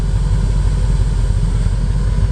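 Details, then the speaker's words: 1988 Mercedes 560SEC V8 at idle, exhaust heard (aftermarket catalytic converters): deep, steady rumble with an even beat and no dropouts, all eight cylinders firing. "See the sound of the exhaust. You hear all 8 cylinders firing up."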